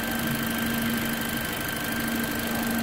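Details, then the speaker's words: Toyota Corolla, first start after a replacement engine was just installed: smooth, even idle with a steady hum and faint high tones, no knocking or rattles; engine running very well, as expected. "como previsto né motor está funcionando muito bem mas nada muito bem mesmo olha aqui beleza"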